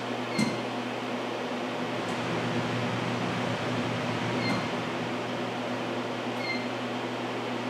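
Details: Industrial parts-cleaning system, dryer station blowers switched on from the control screen: a steady even whoosh of air with a low constant hum and no knocks or squeals; normal blower operation.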